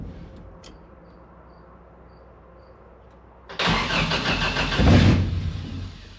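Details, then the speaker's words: Engine-swapped 1979 Toyota Corolla, start attempt with a partly assembled new fuel system: starter churns the engine unevenly for about three seconds without catching; cranks but won't start, owner suspects the fuel pump isn't pumping. "wait why is me fuid pump not fueling it should be fuel pumping when the engine"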